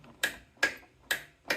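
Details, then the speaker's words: 2008 Polaris Sportsman 400 HO with a good battery: sharp single clicks about every half second, no cranking; solenoid engages but starter doesn't turn. "this has the dreaded click so we got to pull start this thing it's 400 it's no fun so you turn it on you go to start it"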